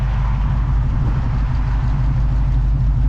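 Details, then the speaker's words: 1969 Pontiac Bonneville Safari wagon with its original 428 V8, after a new oil pump, timing chain seal, rear main seal and oil pan repair, with new dual glasspack exhaust; steady deep exhaust drone at highway speed, no knocks or ticks, running healthy. "Hasn't burst into flames yet. I guess we'll keep on motoring."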